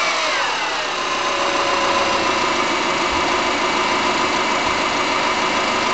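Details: MY05 Subaru Forester EJ25 naturally aspirated flat-four, about two years old: hollow rapid slapping knock over a lumpy idle, steady at idle speed, typical of piston slap.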